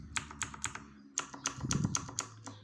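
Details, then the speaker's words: Redragon Kumara mechanical keyboard with blue switches, before EVA/cotton mod: sharp, bright plastic clacks from each keystroke as the hard plastic keycap bottoms out and returns, louder than the switch itself. "Aqui o barulho da tecla descendo o dela voltando porque plástico bate plástico muito rígido"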